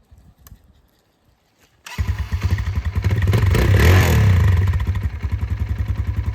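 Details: 2024 Kawasaki KLX140RL started after its first oil change with the oil level checked: silence, then it catches at once, rises briefly and settles into a steady thumping idle around 200 beats a minute; sounds healthy.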